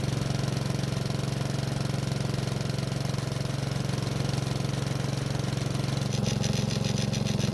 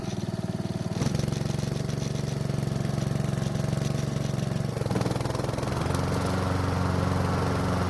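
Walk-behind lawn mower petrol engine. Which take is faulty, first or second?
first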